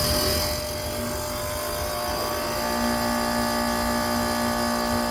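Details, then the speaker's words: DIY VFD-driven 3-phase two-stage heat pump in a Carrier cabinet, on powering up: steady buzzing hum with low tone and higher whine once current flows; owner suspects a loose part, DC bus voltage dropping at startup. "now you hear the hums together at the same time but ship a little bit this it's loose"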